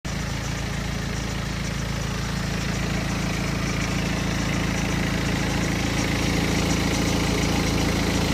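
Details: BMW 120d N47 diesel at 125,000 km, cold idle: a fast light rattle woven through the diesel clatter, clearly audible in cold weather. Suspected timing chain noise, not confirmed.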